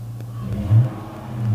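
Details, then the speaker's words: Copart car with a 5.7 L engine, RWD, 81,000 miles, low on fuel, cold start on a cold day: short, deep rumbling rev that swells twice and settles without popping or rattling. Normal, healthy V8 exhaust note. "man take a look take a listen to that exhaust note oh yeah this is something i would be looking forward to get it like the smell of that fresh cold start"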